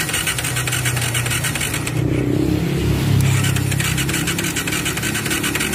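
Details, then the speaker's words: Bajaj Pulsar 180 that won't start, carburetor and ignition checked OK; fast, light starter cranking that never fires, smoke from crankcase breather; suspected leaking piston ring letting compression escape, though some compression remains. "diduga ring seher nya itu bocor jadi kompres yang seharusnya asepnya ke kompresnya bocornya nggak nggak bocor amat ya masih ada kompresi"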